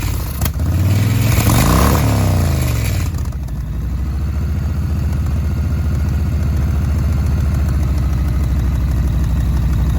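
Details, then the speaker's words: 2005 Yamaha Road Star 1700 V-twin, first start after sitting about five years, new battery, enrichment cable seized: brief rev then lumpy, uneven idle with occasional stumbles and hiccups; rough idle after long storage. "didn't believe my enricher is my enrichment cable is seized the adventure is kind of like a choke we're gonna start it again it sounded like it had some hiccups"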